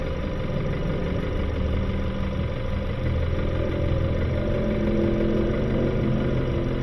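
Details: 2018 Kia Sorento just past 100,000 miles, oil changed regularly, smoking: rough idle with a dull, irregular knock about three a second. Engine blown internally with blow-by past the piston rings. Needs towing; the intake must come off to inspect the valves and springs.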